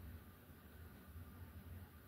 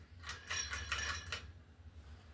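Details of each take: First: 42-inch SMC U42 ceiling fan on high with light kit on, after repairing its bent blades and light sockets; soft even whoosh and low hum with no clicks or rubbing, bearings quiet, running normally. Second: 42-inch SMC U42 ceiling fan with repaired blades and light kit: burst of glassy clinks and rattles over low fan hum when the pull chain is pulled; light kit rattle from bulbs hitting the glass shade rims.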